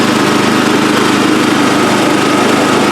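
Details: Brand-new Yard Mate 212cc gas rear-tine tiller, model YRTT212, warming up after its first start with the choke turned fully off: even, steady small-engine idle with a constant buzz, no misses, surging or knocks; motor running healthy.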